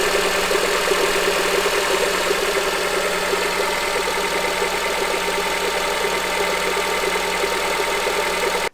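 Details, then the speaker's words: 2007 Honda CR-V, engine at idle: dull, uneven knocking radiating up through the top of the engine, caused by a bad AC compressor clutch, fixed by replacing the clutch. "you can hear that was more of a knocking noise and I actually changed that air compressor clutch with one that I bought off of eBay"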